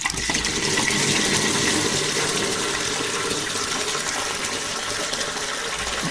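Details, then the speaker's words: Boiler water line during an HVAC service call: a smooth, steady rush of water through the pipe with no sputtering or gurgling, so the line is full with no trapped air; relief valve at 30 psi. "There's no air in there. I can't believe it. I would have figured the whole thing would have been drained. There's still water going in."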